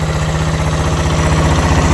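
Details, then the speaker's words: Restored 1970s Honda, CB360 or CB125 twin, fires on first kick at end of six-month restoration and idles smooth: quick even exhaust beat, steady low thrum, no knocks or ticks; normal healthy idle. "First kick. Awesome. And listen to it. Isn't she just a little But just darling?"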